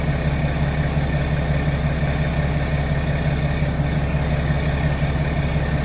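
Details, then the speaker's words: 2016 BMW 535d F10 diesel, 26,000 miles, first start after fuel filter replacement and manual priming without scan tool: took a second or two to start with a little air left, then steady even low rumble about two beats a second, smooth normal idle. "Alright guys, well as you've seen, it didn't start up like right away like it normally does. It took, you know, a second or two. So I mean, it still had a little bit of air, but luckily it wasn't too bad."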